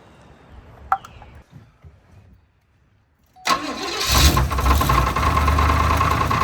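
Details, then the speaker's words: 1980 Cadillac Coupe DeVille first start after swap to long-tail TH400 transmission with cut-and-welded driveshaft, freshly filled with fluid: rough idle with steady knock about four per second; owner suspects loose torque converter bolt, knock goes away under load. "All right, so it sounds like there's something going on with the torque converter, like a loose bolt or something, but it goes away under load and the car is moving."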